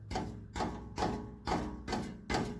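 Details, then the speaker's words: 2012 Chevy Cruze exhaust, muffler tapped by hand: six hollow taps about two per second, each followed by loose tinny rattle inside; internal muffler baffle broken loose at one end. "hear that there's a baffle inside it's breaking loose it's broken loose on this end but not farther up"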